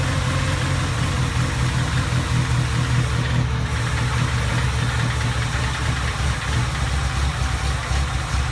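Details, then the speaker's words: 1987 Suzuki Samurai with a Sidewinder kit and a 44mm Screaming Eagle carburetor, cold start at about 20–24°F: the engine chugs slow and slightly uneven at a deep low idle, too low, so the idle adjustment was turned up. "basically what I had to do was basically the idol was really low so I just basically turned turned a little adjustment"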